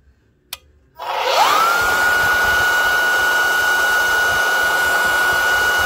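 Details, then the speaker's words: Bona floor edger sander, pad came off: motor winds up in a second to a steady high whine with no loaded drag; owner suspects an internal belt is off; indicator light doesn't come on. "so the belt is off or something there must be a belt inside there"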